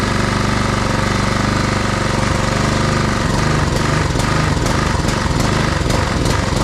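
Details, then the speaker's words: Husqvarna push mower with Honda GCV160 engine, after tune-up, missing original air filter assembly: runs steadily on choke, then surges unevenly and nearly dies once choke is opened; lean running, suspected clogged carburetor jet. "so as you can see um seems to idle okay until you take the choke off as soon as you take the choke off it starts to um starts to starts to die"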